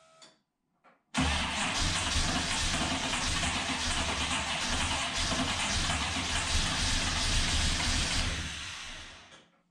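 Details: Ultima GTR supercar sat 7 years in a warehouse, very cold first start: several seconds of loud, steady cranking before the engine catches, then tails off; oil pressure present, didn't rev well cold, extended cranking.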